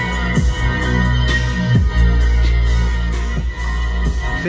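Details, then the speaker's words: Range Rover Evoque door speaker after replacing a vibrating, distorting factory speaker with a stronger mid-bass unit on the original plug: bass-heavy music plays cleanly without buzz, rattle or crackle; clean speaker playback. "para ouvir aí se vocês puderem usar um fone de ouvido mas só de já não ter a distorção né aquele PR PR já melhorou bastante"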